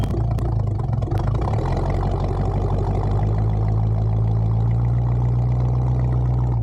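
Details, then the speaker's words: 1974 Bitter CD (Coupe Diplomat), Chevrolet 327 V8, warmed up, on test drive after HT leads, cracked distributor cap, points and condenser replaced to cure misfire under load: deep even pull, steady firing, no stumble; running sweet under load. "under load now and yeah sounds sweet as it should y yep sounds good Happy Days"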